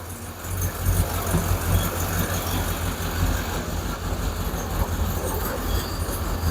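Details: Hemi V8 Plymouth Duster idling right after an alternator replacement, charging at 13.8–14.9 V: deep, steady idle with an even low rumble and no knocks or whine; engine running smoothly and healthy.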